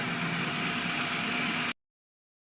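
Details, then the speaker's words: 2007 Toyota Corolla XLi, after MAF sensor work (signal now 1.18) for black smoke, misfire and vibration: even, steady idle with no stumble or shake, engine smooth. Normal idle. "जैसे engine vibrate कर रहा था, मिसिंग कर रहा था, वो चीज़ अब नहीं है। ये देखिए इंजन जो है ना अभी बिल्कुल स्मूथ है, बिल्कुल स्मूथ है इंजन।"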